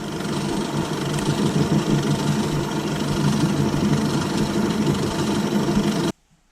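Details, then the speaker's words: Mini lathe gearbox after replacing a worn brass bush and drilling an oil hole to cure oil starvation: steady, even whir with no clattering, then stops abruptly; normal gearbox running, loads quieter. "Loads better that."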